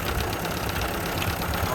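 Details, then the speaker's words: 1928 Ford Model A, first start after fitting a new Snyder's 5.5:1 compression head, throttle about a quarter open; loud, uneven idle with a knocking chuff, cause unknown. "Hear that high pitched whine. Not sure what that is."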